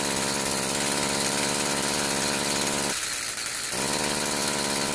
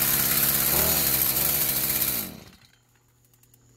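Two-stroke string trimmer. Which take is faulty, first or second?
first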